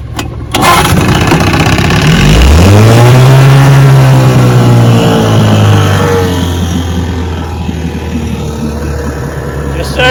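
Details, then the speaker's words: Restored 1971 Johnson 6 hp two-stroke outboard on its first on-water test run after restoration, restarted for a quick-start check: one rising pull catches straight away and settles into a steady, even idle. Normal quick start. "sir starts right up"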